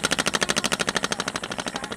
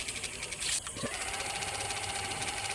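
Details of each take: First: Ceiling fan switched off and coasting down: rapid even knock about twelve times a second easing slightly as it slows; loose bearing in worn seat lets rotor shift, fixed with Fevi Kwik without replacing bearing. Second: Ceiling fan with the khat-khat noise repaired using Fevi Kwik instead of replacing the bearing, smooth even hum with steady tone and no knocking; fan runs quietly and normally after repair.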